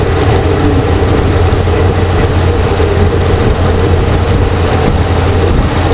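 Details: 2014 RAM 2500 6.4L V8, running after replacing the transmission solenoid pack and fixing the corroded connector behind a P0706 no-start (no Park/Neutral): steady, even low idle rumble with no misses, knocks or ticks; normal.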